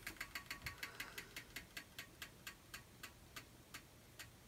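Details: Mac Pro bought as dead, revived after reseating memory, booting from USB: sharp dry ticks, fast then slowing to about two a second as the fan spins down; fan ticking, owner suspects a going bearing, not confirmed.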